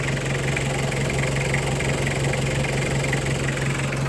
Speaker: เลยว่าเครื่องดีระบบน้ำดีนะครับนิ่งๆเลยนะครับเช็คให้เรียบร้อยระดับน้ำก็อยู่ปกตินะครับ